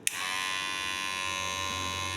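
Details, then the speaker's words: Kemei hair clipper, loud for a week: switches on with a click into a harsh, high-pitched buzz, too loud; still noisy after replacing the internal spring, before disassembly and repair. "Nah itu dia guys ya suaranya lumayan nyaring ya"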